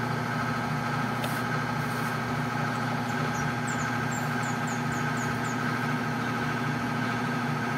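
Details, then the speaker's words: Whirlpool LSP 780GP washer, formerly noisy on spin and leaking water, after the bearing and oil seal were replaced: a smooth, steady motor hum during spin with no grinding or rumble, and birds outside; the bearings now run quiet. "Tahimik na siya."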